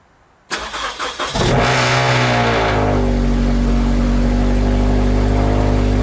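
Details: Subaru BRZ / Scion FR-S / Toyota GT86 on E5 tune, running about 6% rich on factory MAF setting: a few quick cranks, fires cleanly, flares, then settles into a smooth, even fast cold idle; healthy start.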